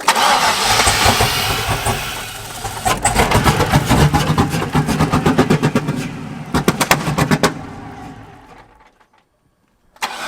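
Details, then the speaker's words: LS-swapped Volvo drift car after an engine fire, burnt sensor reconnected: cranks and catches, then runs rough with uneven popping pulses and heavy black smoke before dying; misfire, cause suspected, not confirmed. "It's a no-go. I thought maybe it would clear out because of that sensor, but obviously it's doing the same thing."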